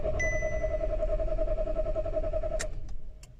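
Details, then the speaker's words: 2014 SEAT that stutters and misfires when warm: the starter turns the engine over at an even, fairly quick rhythm for about three seconds but it never fires, a crank-no-start; the ECU is live and the check engine light is on. "شفنا إنه إحنا السيارة الماكينة بتدور بس ما بتشتغل السيارة."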